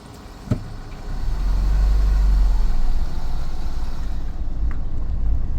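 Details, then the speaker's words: Mini in reverse gear on private land, while investigating a gearbox rattle previously blamed on the flywheel; steady low engine rumble with no rattle or knocking while rolling in reverse: gearbox quiet in reverse. "Zero noise, none whatsoever. Let me just roll forward. Still in reverse, rolling forward."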